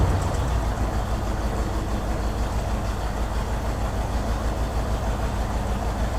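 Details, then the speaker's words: 1964 Ford Thunderbird V8 idling after the choke was released: low, loping, uneven beat with occasional stumbles, not terrible but a definite misfire; owner suspects a bad vacuum leak at the carburetor-to-intake spacer gasket. Coil getting only about 5.5 volts with key in Run. "it's not real bad but it's not real good either she does run though so that's cool but it definitely sounds like there's a bit of a misfire going on"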